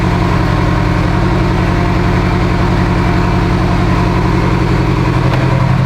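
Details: Mitsubishi Evo 8 four-cylinder being built for 800whp, restarted after coolant top-off; oil pressure, AFRs and fuel pressure all good: deep even idle, steady low thrum, no knocks, misses or hunting; normal idle.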